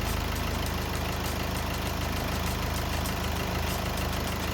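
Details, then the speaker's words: Diesel car idling during experiment with negative battery terminal disconnected after starting: steady diesel clatter at even idle, about two firing pulses a second, no stumble; engine keeps running normally. "വാഹനം of ആകുന്നില്ല."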